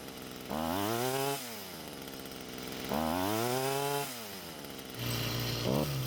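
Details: Stihl string trimmer before clearing a clogged exhaust: two throttle blips climb slowly and top out at a low, strained buzz instead of a sharp scream; choked exhaust robbing power, fixed by clearing it.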